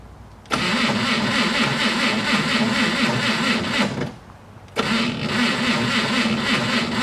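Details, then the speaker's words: Slow, labored starter cranking in pulses about four a second, never catching; a 1-volt drop along the starter cable (12 V in, 11 V at starter), cable warming with repeated cranking, so too little voltage reaches the starter. "right so as you can see that tells me that uh let me it tells me that not enough voltage is reaching the starter hence the reason why it's uh it's turning very sluggishly"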